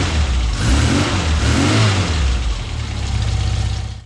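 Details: Frogeye Sprite after bare-metal rebuild, before ignition timing is set: engine fires and settles into a steady, even low beat of about four pulses a second, running cleanly without misfire before shutting off.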